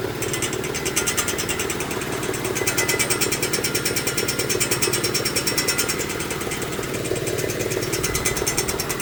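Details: 2018 Mitsubishi Mirage GS running, with a fast steady ticking rattle about three a second over a quiet engine; mechanical rattle, source unclear.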